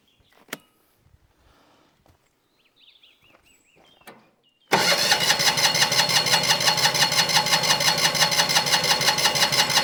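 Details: Winget mixer single-cylinder diesel, stood unused a couple of years, weak fuel flow from tank tap with varnished fuel; even chuffing about three beats a second while cranking but never fires; stuck delivery valve suspected, not confirmed.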